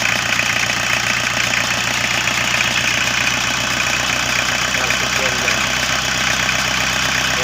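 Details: Engine idling with a loud hissing, puffing rush as crankcase blow-by pressurises the crankcase and pushes oil out the dipstick tube; it still leaks with the breather removed, so an improvised slipper-rubber gasket is fitted to the dipstick.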